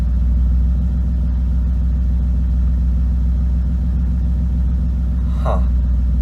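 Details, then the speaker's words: BMW E36, idling just after a cold start after sitting a couple of days: low lumpy uneven idle, clearing slightly but still rough; owner suspects misfire, possibly spark plugs, not confirmed. "A little rough. Rough. Something's not happy. It could have just been because I started it a little bit. It's starting to clear up. Yeah, it was probably just fuel that was left over that dried up or something like that. It's still a little rough."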